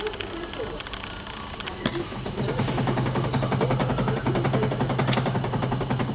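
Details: 2008 Skoda Octavia, 77,000 km: sharp, fairly regular knocks about three to four a second over a low engine hum; worn steering rack knocking.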